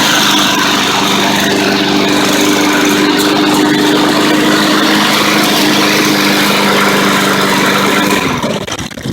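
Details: Unused clearance Honda walk-behind mower sold as "broken rod" that only needed a dented valve cover replaced and rocker arm adjusted: engine starts without choke and hums at a steady, even pitch with no knock, some smoke from having been tipped over, then cuts off cleanly.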